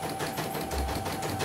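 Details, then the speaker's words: CNY embroidery machine from Demak, complaint of abnormal rotation and unsteady bobbin, test after bobbin case and belt replaced; fast, even stitching chatter with steady rhythm, no knocks or catches; running normally, good stitches. "Oke, kita jalankan saja ya. Untuk melihat hasilnya. Normal ya."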